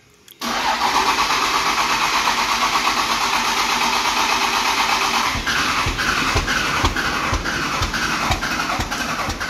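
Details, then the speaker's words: 12-valve Cummins dually, fuel pressure at zero: long cranking with even chugging about two beats a second, never catches; starter overworked. "it's still at zero you'll probably lose full pressure because once you turn that key on it and you're sucking that up"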